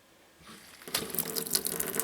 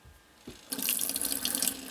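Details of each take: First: Off-grid tiny house cold-water plumbing with newly wired 7 A water pump: after a quiet start the tap bursts into irregular spitting and gurgling with no pressure; air purging from the water lines. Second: Off-grid tiny house cold-water plumbing, first pressurized run with a 7 A water pump on a 10 A fuse and rainwater in the tank: a strong, steady faucet flow splashes into the sink with good pressure, though it doesn't pour normally yet.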